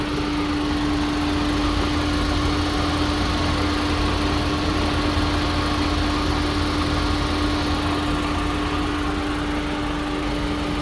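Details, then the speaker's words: Cylinder 2 misfire on a VW Polo Vivo petrol engine at startup idle: uneven, lumpy, stumbling beat with visible engine shake; suspected fouled spark plug or fuel injector, spark plug and coil pack replacement. "We seem to be having a misfire on cylinder 2. On startup and I can clearly hear and see the misfire."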